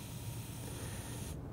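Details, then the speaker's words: Counterpressure bottle filler, CO2 at about 12–13 PSI: steady airy hiss for over a second, then abrupt cutoff as the purged bottle is pressurized before filling with beer; normal. "this means that the bottle is pressurized and we're ready to fill."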